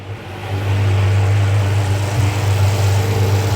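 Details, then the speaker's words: Abandoned, long-sitting Ferrari 599 V12 with gated manual conversion and custom exhaust, first startup with no alternator fitted: catches and settles into a smooth, even low idle with no tapping or misfire, engine bay very quiet, oil pressure rising; normal idle. "The engine bay is super, super quiet. Everything seems pretty happy under here."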